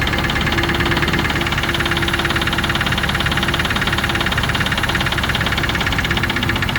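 Steady idle with a sharp, fairly regular tapping about three times a second over the engine note; an engine knock, source unknown.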